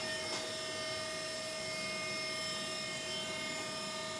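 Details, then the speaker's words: CNC mill machining steam-engine valve sleeve ports, test cutting in plastic at slowed rapids: short mechanical clack over a steady high hum as the tool changer advances to the next tool, indexing cleanly with no grinding. "And that sound you hear is the tool changer advancing to the next tool after this tool is done"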